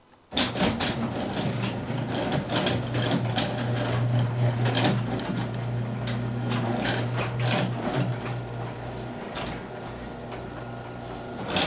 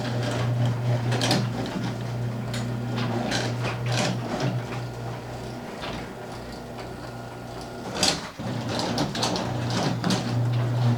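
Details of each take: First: 4-panel garage door with opener, closing before any fixes: steady opener drone with irregular clattering rattles and creaks; door is noisy and needs lubricating of hinges. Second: Garage door after fixes (roller sleeves, nylon rollers, hinges, white lithium grease): door travels with a soft, even opener rumble and only a couple of light clunks, no squeal or rattle; runs quietly.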